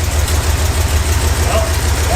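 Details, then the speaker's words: 1971 Plymouth Satellite V8 that ran well on all eight cylinders before sitting. A lumpy, uneven idle with the rear cylinder firing only occasionally. Compression test showed one cylinder at 30 psi (head gasket suspected) and one at zero. "You listen closely once in a while, you hear that rear cylinder fire off. This is so weird. This motor ran great last time it was on camera."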